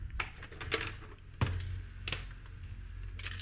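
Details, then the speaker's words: Marantz CD-72Mk2SE CD player shaken by hand: irregular light clicks and tinny rattles from something loose inside the case, which turns out to be around the disc tray open/close gear, later replaced. "tuh ada sesuatu di dalamnya tuh. Tuh ada sesuatu dalamnya."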